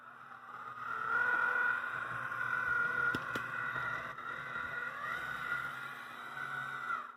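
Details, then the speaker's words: AC Gilbert Alco diesel model locomotive after adding lead weights and toolbox-liner sound damping, running at slow yard speed: even, moderate motor hum with a mild steady whine and a few light clicks; the harsh high noise is reduced, sounds fine. "i'm okay with that sound look at the nice slow speed we get with this that's pretty good cruising along yard speed"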